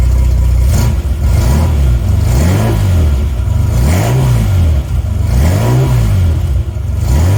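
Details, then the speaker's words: 1980 Reliant Scimitar GTE SE6A after getting it restarted, fuel lines still to be replaced: deep smooth exhaust note rising and falling through several clean throttle blips, no knocks or misses; engine sounds healthy. "this time just to hear the exhaust note again before we shut her down and go and buy those all-important fuel lines."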